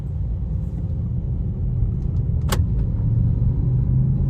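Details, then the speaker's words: Car driven over a speed bump after suspension repair that fixed a metal-on-metal knock over potholes: even road rumble, one faint tick, no clunk from front end; knocking gone, suspension normal. "Aquí viene otro tope. Está vamos a cararle otra vez. Ahí está, ya no se escucha."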